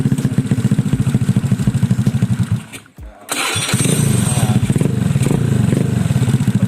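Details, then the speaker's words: Honda Beat scooter after swapping to a PE24 carburetor, previously hard to start on cold mornings, after carburetor adjustment, started without covering the venturi: fires quickly and settles into a steady, even idle; normal start. "ini udah gampang hidupnya dan insya Allah ini waktu dingin juga bakalan gampang hidupnya ya"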